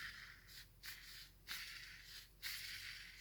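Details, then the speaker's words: Gel blaster (SCAR) gearbox, halves together, spur gear with bearings spun by finger during shimming: soft airy whirring bursts, and the gear is not rubbing on the bearing housing. "You can hear that it's not rubbing on that bearing housing, which is good. It's a good start."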